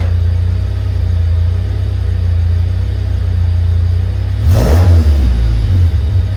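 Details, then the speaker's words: 1995 Honda Civic coupe running after DNA eBay headers were installed. A steady low rumble, then a sharp rev about four seconds in that settles back; running is even and the exhaust is only slightly louder; normal. "All right, so there you guys have it. That's how it sounds. It sounds a little bit louder. Overall, I'm pretty happy with how it sounds."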